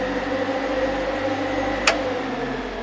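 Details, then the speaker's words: Classic Mustang with an Alloy Works aluminum radiator: key on and a hidden toggle switch flipped, electric radiator fans kick on with a single click, then a steady, even hum with no rubbing or wobble. "if i turn the key on and i flip the switch you can hear the fans kick on"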